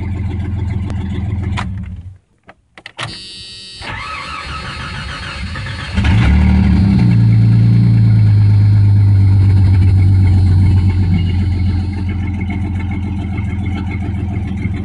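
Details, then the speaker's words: 1989 Jeep Cherokee 4.0L I6 Renix, AW4, after new crank position, temperature and knock sensors, before the MAP sensor: cranks, briefly stumbles, then settles to a steady idle, perhaps slightly lower; normal start and idle. "do you know I don't notice a difference do you actually it sounds like an Idol's a little lower I don't know works for me"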